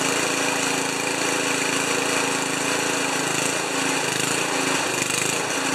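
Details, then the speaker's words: Ariens 2+2 snowblower small engine at three-quarter throttle after cleaning plugged carburetor jet and spraying fluid into idle circuit: chatters fairly steadily, slightly rough uneven beat, no stalling; running. "yes it's gonna start it's going to smoke a little bit we got three quarters two three-quarter throttle"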